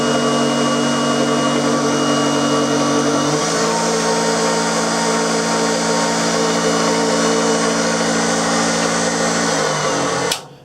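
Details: Refurbished Hobby 818 lathe with plastic gears engaged driving the auxiliary shaft for power feed at lowest gearing: smooth steady motor hum with even gear whine, note shifts slightly as the feed engages, then runs clean; normal running.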